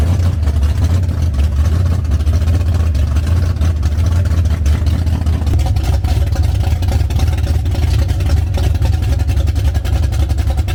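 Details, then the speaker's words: Foxbody Mustang cold start after fuel-fitting and water pump leak repairs, a fuel leak still present: deep steady idle rumble staying even, no knocking or stumbling; normal cold start idle. "What about that? Pretty good. Dang, it sounds good, doesn't it? I think it sounds really good."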